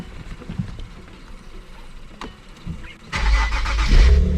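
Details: Infiniti with HKS exhaust, started after dead battery replaced under warranty: a few seconds quiet, then engine catches cleanly at once and settles into a deep, even, steady idle; healthy start.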